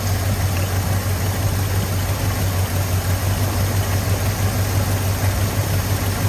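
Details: 1983 Ford F250 with carbureted 460 V8, started after fuel filter fitted and priming, accelerator pump leak noted: low, steady idle rumble with an even beat, no misses or knocks; normal idle.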